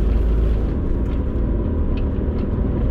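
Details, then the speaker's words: 250,000-mile Mitsubishi Eclipse GSX while driving: deep steady growl under road noise that quiets when turning right; tire swap made no difference; right-side, likely rear, wheel bearing suspected. "so basically we unloaded the right side of the vehicle and the noise goes away and it's very obvious in the car so that would point to a right side wheel bearing"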